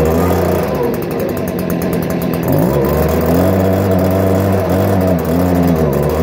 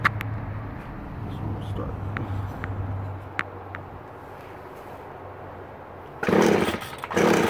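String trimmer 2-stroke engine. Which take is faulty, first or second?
second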